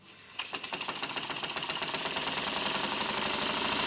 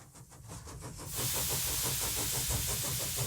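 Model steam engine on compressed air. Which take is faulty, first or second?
second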